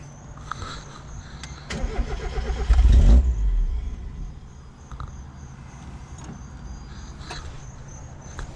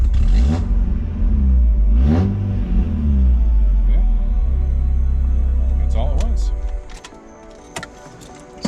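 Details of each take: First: Mazda MX5 Miata cranks about a second and a half with uneven churning but never fires, after installing a new DeatschWerks DW200 fuel pump; the pump was heard running, yet there is still no start. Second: Mazda MX5 Miata after installing a Deatschwerks DW200 fuel pump and fixing a non-running fault: engine catches quickly, blips once or twice, settles into smooth even idle with good oil pressure; normal start and idle.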